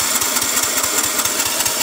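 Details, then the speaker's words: Husqvarna 122C string trimmer bought as a return that would only start on choke and die; rapid, ragged, wet popping as the aftermarket carburetor floods it, white smoke and unburnt-fuel smell with choke off; rich running from carburetor flooding. "Oh yeah, that's fuel. Thing's flooding its damn self. That was the smell of unburnt fuel."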